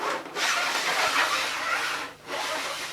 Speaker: Now, you can hear a scraping noise. The wheels just scrape along.